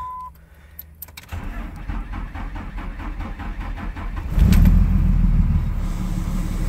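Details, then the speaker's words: 2004.5 Ram 3500 diesel: slow, labored cranking for about three seconds, then a loud, uneven, lumpy rough idle, with slight blue smoke at cranking and the exhaust brake on. Cause suspected, not confirmed. "it's got a really weird rough idle when i crank it and it's slow to start"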